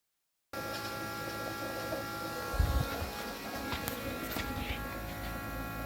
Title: Bad fuel pump